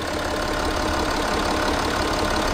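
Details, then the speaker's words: 2012 Audi Q7 diesel that had an idle hissing noise, suspected from an injector, after repair: steady, even idle clatter with no hiss or misses, starting normally again; engine sounds smooth and healthy. "how's that buddy problem fixed the hissing noise fixed and the engine sell healthy apps okay beautiful"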